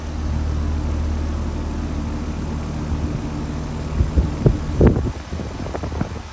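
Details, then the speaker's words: Home AC outdoor unit, back on after diagnosing a faulted run capacitor (30/5 replacement planned), cover temporarily fitted: steady low hum from compressor and fan, a few handling knocks near the end, blowing hot air. Normal running. "All right, well, because we can, let's cut this thing back on, see what happens. Sounds good. It's already blowing some hot air."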